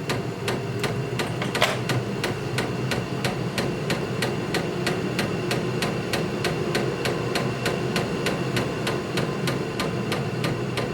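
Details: 8 kW Vevor diesel heater in uninsulated barn, cranked up: sharp steady fuel pump clicking about three per second over soft combustion roar; pump metering normally, heater running well.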